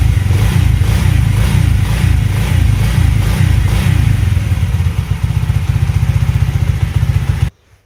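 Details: Alpha Delta Vento 110cc moped running after a knocking suspected-fake piston was replaced with a supposedly original one: small single putters evenly with a steady low beat and no knock before shutdown; the engine runs healthy.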